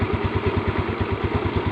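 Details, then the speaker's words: Motorcycle single-cylinder engine running on a previously dead spark plug with its ceramic insulator removed as an emergency trick: steady even thump about seven beats a second, smooth, no misses; normal idle. "Suaranya kelihatan tadi, Mas Bro. Saya sudah hilangkan keramiknya. Nah, ini buktinya Mas Broya bisa hidup."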